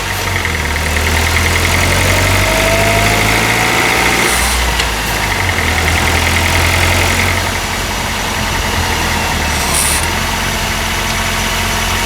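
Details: Honda R20A3 engine at cold idle, mic in engine bay: fast, fairly regular hollow knock about three or four a second over the engine; suspected piston slap, louder in colder weather, disappears after a few minutes.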